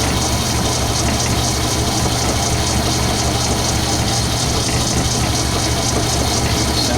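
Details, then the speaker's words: Lathe drilling high-carbon, hard steel from the tailstock with oil, while making a new arbor. Steady hiss and hum with an even low drone and no chatter or squeal; a nice, even cut with chips coming off evenly. "good, feels good, cutting nice, chips are coming off nice even. Nice even cut."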